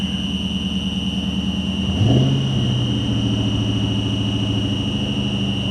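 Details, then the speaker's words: SN95 Mustang GT converted from automatic to manual, heavy clutch pedal: a constant high whine over the rough idle, low note shifting as the clutch engages; clutch engages but throwout bearing is noisy. "Guys, that sounds awful. Now the clutch felt like it was fine. It did engage. But I'm here to tell you. Oh my goodness. That's a throwout bearing."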